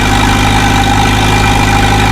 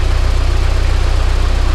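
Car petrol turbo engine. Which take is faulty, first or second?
first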